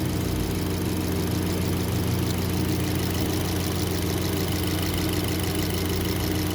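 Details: 2023 Kia Sportage after replacing the faulty intake camshaft variable valve timing gear, timing chain and tensioner: smooth, even idle with a steady low drone and no ticking or rattle; variable valve timing noise gone.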